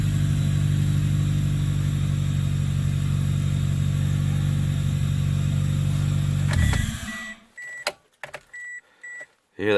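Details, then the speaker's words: 2003-08 Toyota Corolla/Matrix (1ZZ or 2ZZ engine) after starter replacement, battery and mass airflow sensor reconnected: smooth, even idle with soft hissing from the cold air intake, then shut off with a few chimes; running normally. "hear that hissing? It's just the cold air intake on this thing. Alright, good to go."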